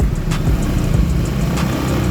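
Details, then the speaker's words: Honda Beat 2015 scooter after an engine rebuild with new crankshaft, block and piston kit, following a crankshaft oil-passage fault. The engine now runs smooth and quiet, with an even low hum and no knocks or rattles. "oke Ini hasilnya guys suaranya halus"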